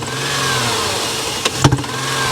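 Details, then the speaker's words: Towed-in comeback Dodge Dakota 3.7 with a cast-iron head and engine damage: rough uneven revs with sharp pops back through the intake; suspected overheating dropped a valve seat that smashed a valve, cause not confirmed. "valve seat would fall out and then smash a valve in creating this condition"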